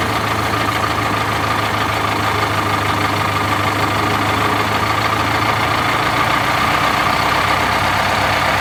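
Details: 1971 MCI MC7 bus, Detroit Diesel 8V71, just after oil and filter change and oil-bath air filter service: steady diesel idle with faint constant blower whine, no knocking or misfire.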